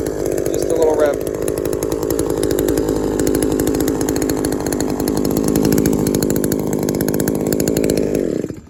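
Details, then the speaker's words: Shindaiwa 22T trimmer with aftermarket carburetor replacing original Walbro and a slightly sticky taped throttle cable: steady idle, quick rev dropping back cleanly before shutoff; cable didn't stick, running normally. "just wanted to rev it a little bit to see if the cable would stick it didn't look like it was"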